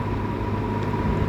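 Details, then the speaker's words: Probably 1950s-era Welch Air-Flight 20" box fan, model 20W-U, Universal motor, Torrington aluminium blades, freshly oiled, running on high: smooth even whir, clean steady hum, no rattle or bearing growl; very quiet, bearings in great condition. "it's really quiet I am actually astounded at how how quiet this thing is it's a very smooth Runner too"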